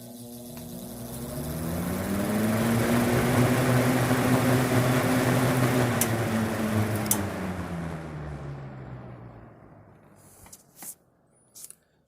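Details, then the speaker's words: Vintage GE WC2 mini box fan, likely early 1970s, run up to high. A steady hum with an extra rough buzz that newly appeared fades on spin-down; the owner suspects a shading coil rubbing the rotor, not confirmed. "that's that sounds like one of the shading coils might be rubbing against the rotor so may have to do something about that eventually but no big deal"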